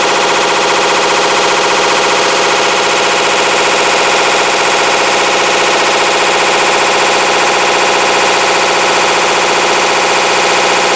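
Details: 2012 Hitachi Beat Wash BW-D8KV washing machine, eight years old: loud, rapid clattering and grinding, about two bangs a second, steady throughout; clutch failing for the second time, caused by overloading.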